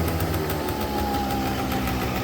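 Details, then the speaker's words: 2009 Yamaha Zuma 50 two-stroke fresh from storage, running on a borrowed battery. Even, quick putter at a steady low idle with no misses, knocks or hunting, idling really good; heavy smoke, suspected from storage oil, may need clearing out. "But as of right now, it seems to be seems to be idling really really good."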